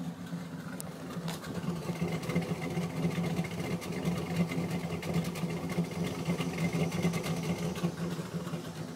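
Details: Dodge petrol truck idling unevenly, low drone wavering and stumbling, with a sucking noise from under the intake; rough idle with check engine light.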